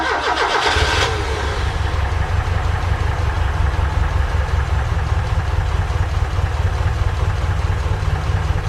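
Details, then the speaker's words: Ford Capri Calypso after 14 years standing, now drawing fuel from the tank, old fuel mixed with about seven litres of fresh: cranks and catches, then a heavy, uneven, lumpy low idle; owner suspects the bad fuel. "I imagine it all run a bit rough because well there you go."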